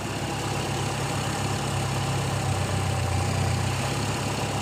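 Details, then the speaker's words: Carbureted car converted to gas fuel, reducer adjusted two turns: steady low idle with even soft beat, no metallic rattle from carburetor; smoother engine, smooth idle. "suara mesin lebih halus teman-teman tidak ada suara apa namanya semacam besi San dari karbu mulus"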